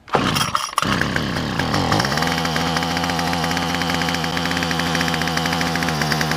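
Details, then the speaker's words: Weedeater small engine after carburetor, gasket and spark plug replacement, started on choke: pulls through a few tries, then catches and settles into a steady, high buzzing idle without sputtering, running healthy. "I'mma choke it. Yeah, I got a nice little choke off the start. That's what I'm talking about."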